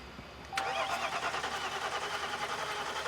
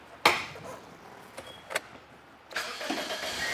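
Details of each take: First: Diesel truck that won't start after the cab was lifted, with engine and battery codes: starter cranks with brief catching puffs but it never fires; fuel delivery problem suspected; crank no-start. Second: A Toyota Corolla that had an intermittent lean P0171 code cranks briefly, catches and settles into an even, steady idle with no odd noises; the fuel pump is the suspected cause.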